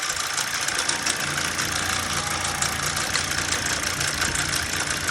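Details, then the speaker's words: Toyota Yaris 1.33, 1NR-FE dual VVT-i engine; steady idle with a fast, light metallic chatter on top, loudest close to the engine; top-end rattle of uncertain cause. "but the issue I was having from the onset was to do with this rattle"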